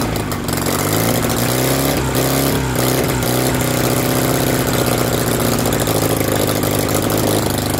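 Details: BMW R69S with Kayser Power Kit, first start after engine restoration: the twin thrums unevenly and wavers with throttle blips instead of holding a clean idle; the carburettors need attention.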